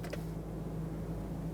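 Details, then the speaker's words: 2017 Volkswagen Tiguan 2.0L L4, after installing a new fuel pump module and reconnecting the battery, ignition on without starting: steady low electric hum for under two seconds; new fuel pump priming normally. "To prime the fuel system with the key inside, we're not going to start the vehicle, just turn the key in the on position."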